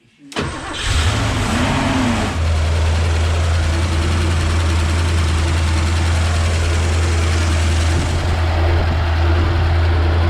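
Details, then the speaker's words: Porsche 928 4.7 L K-Jetronic V8 after sitting 20 years, once a blockage was dislodged and fuel flowed non-stop: cranks, catches within a second, and settles into a smooth, steady rumble, idling happily by itself; normal idle. "that actually idled happily by itself it did so far out 20 years"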